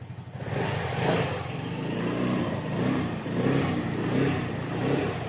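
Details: Yamaha Freego scooter showing error code 1 and MIL light, battery keeps draining, electric starter dead so kick-started: revs rise and settle smoothly amid street noise, no knocks or rattles. The engine runs fine and charges above 14 V.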